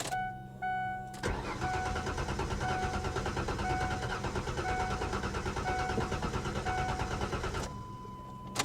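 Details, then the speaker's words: 2015 BMW 750i automatic at salvage auction lot, low on fuel, loose ground just reattached: long steady cranking, briefly fires then falls back to cranking and won't stay running; owner suspects an inertia switch, unconfirmed. "Oh, she's trying to run. Huh. She fired. You heard that? It fired up."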